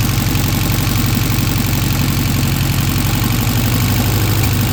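Deep, steady engine beat around four pulses a second with no stray knocks or ticks; the fresh engine runs smooth and even.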